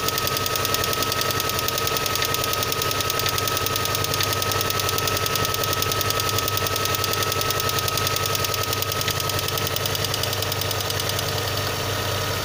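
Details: VAZ 2112 engine running cold: steady fast ticking knock, about three to four per second, over the engine; knocking present, cause unknown.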